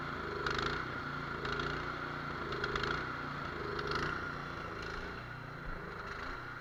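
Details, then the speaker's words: Cub Cadet 24-inch two-stage snow blower with a 208cc engine, almost new and brought in for no-start. Running on choke, engine speed rises and falls about once a second instead of holding steady, and it is not clearing itself. Hunting idle from a clogged carburetor idle jet, to be pulled, cleaned and drilled. "So what I'm trying to do is sometimes that machine will work and clean itself out, but apparently in this case that is not going to happen, and I really don't have the patience."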